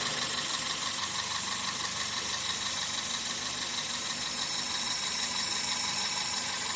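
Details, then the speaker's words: 2000 Toyota Celica GTS 2ZZ petrol engine idling warm, coolant 82°C, 730–750 rpm: low even idle with steady light whir, no knock or hunting; owner suspects IAC valve or vacuum leak causing high idle. "don't know if you can see that the coolant temperature is at 82. the engine RPM is at 730 750 RPM throttle position interesting"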